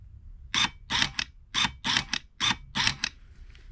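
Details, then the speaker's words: New EGR valve for Mini Cooper F55 bench-tested with ground on pin one: short, even whirring sweeps back and forth with no rasp or catching; smooth and healthy, unlike the old valve, which sounded rough and had play. "so let's give this a test and see what happens so let's put a ground on it same as before in pin one that sounds much better that sounds nice and smooth"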